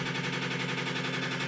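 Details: Washing machine with lid removed, spinning: fast rattling knock about a dozen hits per second over drum hum; the tub is vibrating excessively and hitting the cabinet.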